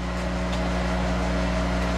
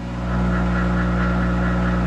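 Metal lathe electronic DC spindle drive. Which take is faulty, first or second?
first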